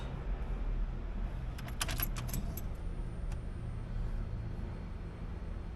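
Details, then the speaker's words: 1985 Monte Carlo with a single-turbo 4.8 and 4L80E, after sealing an exhaust leak near the header: even, deep idle rumble with no puffing or ticking, much quieter than before; exhaust now sealed and engine healthy. "Oh yeah, that sounds completely different. Oh, that sounds a lot better. Like before, it was loud. Now it's toned down, but it sounds better."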